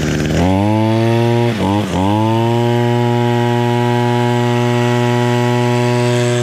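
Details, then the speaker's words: Echo SRM 225 string trimmer that was bogging down, after its exhaust screen was removed. After a blip it holds a strong, steady, high-pitched full-throttle buzz with no bogging and runs clean. "Completely fine. And we do that on all of our Echo string trimmers."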